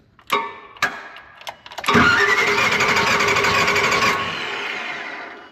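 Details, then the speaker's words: Fuel-injected Nissan forklift bought as inoperative: starter whirs and engine turns over steadily for a couple of seconds but never catches; fuel pump running, fuel reaching cylinder, throttle valve working, but no spark. "got fuel pump running got fuel coming out cylinder I hear the throttle valve working don't have no spark"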